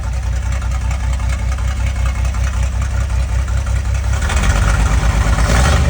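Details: Valiant Safari wagon, recently restarted after sitting, exhaust straight out the extractors: even, throaty idle, revs lifting slightly near the end, no faults; normal idle.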